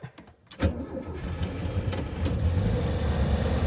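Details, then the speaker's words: VW Beetle 1303 Super Beetle flat-four cold start, with dash lights on and a noise alert: a brief crank, then it catches first time and settles into a strong, even idle with no misses or knocks. A healthy cold start. "wow wait first time sounding strong"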